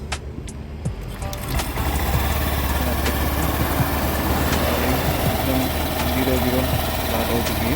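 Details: Honda Activa 6G (BS6), 24,000 km, after engine work, plus a new air filter: smooth, even low hum at idle with no knocking or rattle; healthy.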